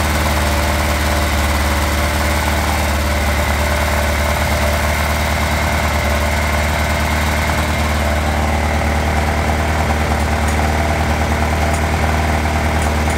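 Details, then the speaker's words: Motorcycle idling steadily after the carburetor intake is reinstalled, with a rattly, tinny 'casserole' clatter and metallic slap over the even beat; source not identified. Cylinder 1's earlier problem was mainly mixture richness and probably partly clogged idle screws. "Vous entendez ce bruit de casserole? En tout cas, la solution pour le cylindre numéro 1, c'était surtout un problème de richesse et probablement des vis de ralenti un petit peu bouchées."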